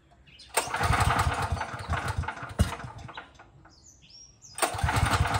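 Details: Craftsman 5000 W generator, bought around fall 2021, cold start outdoors on choke after engine switch turned on: single-cylinder engine catches, runs in an uneven burst, dips, then picks up again; normal cold start.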